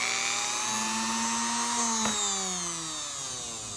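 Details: Sewing machine motor for lathe grinding spindle, after swapping brush wires to reverse rotation, cleaning commutator and repairing wires: clean, steady high whine easing down in pitch as it slows, no rubbing or brush chatter; now runs clockwise properly.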